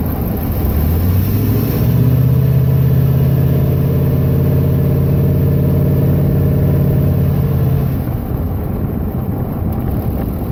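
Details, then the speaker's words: 2011 Ram 1500 5.7 Hemi with MDS, recorded by phone under the hood: light, fast slapping rattle on coast-down, like a card in bicycle spokes. Fixed by replacing both the cam phaser and the timing chain tensioner. "it sounds more like when you were a kid and you'd put a playing card in your spokes and you hear that like slapping rattling sound"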